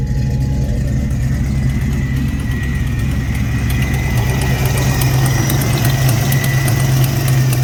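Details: Supercharged 1991 Ford 5.0L Fox Body at idle: deep, lumpy, uneven idle with faint ticking, with an exhaust leak, moisture from the tailpipe and a suspected internal knock; rough idle, cause unclear.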